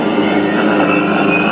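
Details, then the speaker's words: Motor driven by a CHF100A VFD inverter after changing a parameter setting from 1 to 8: smooth, even whir with only a faint thin tone, motor noise reduced and no harsh frequency whine; normal motor run. "ये देखें मोटर की आवाज़ आहिस्ते से कम होने लग गई है। ठीक है, अब मैं इसको और अब बढ़ाता हूँ। ये देखें अब मोटर की आवाज़ बिल्कुल भी मोटर की फ्रीक्वेंसी की आवाज़ नहीं है।"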